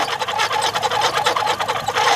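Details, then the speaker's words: Car engine running, AC switched on, filmed from underneath at the compressor belt: high wavering squeal as the compressor clutch engages, pulley slipping inside a loose (new-looking) AC belt; fix is tightening the belt, or replacing it if worn. "كده الصوت واضح. ده بيعني ان السير مهوي والطنبوره بتتزحلق جوه السير، فده بينتج عنه صوت صفاره اثناء تشغيل التكييف العربيه او في بدايه تشغيل العربيه."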